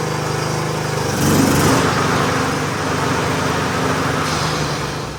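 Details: John Deere D110 lawn tractor after oil change and greasing, gas poured into carburetor: small single-cylinder engine catches and settles into a steady, even run with no knocks or misses; sounds healthy.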